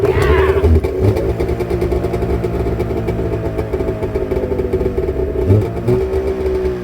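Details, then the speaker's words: Carbureted two-stroke snowmobile started on full choke at 7°F: runs cold and a bit uneven, burbling and hunting as it clears; a little flooded, needs warming up. "Let it warm up a little bit. As you can see, it's carb bread. A little gold flooded. It'll warm up."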